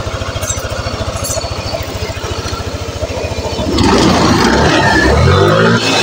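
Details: Yamaha NMAX (old model) scooter engine idles smoothly with an even, steady pulse, then revs up cleanly without harsh noise; normal idle, checked while diagnosing a rough/grinding engine noise (suspected bearings or one-way starter clutch).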